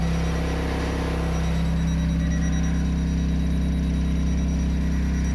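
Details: Hyundai Santa Fe DM, cold engine, shifted into Drive: steady low droning hum with faint pulsing rumble; absent in Reverse, Neutral and Park, goes away; source not yet found.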